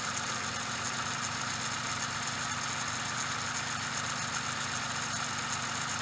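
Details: Suzuki Every DA64V engine at idle: constant dry hissing rush with no beat; belt tensioner bearing noise, possibly from lack of grease.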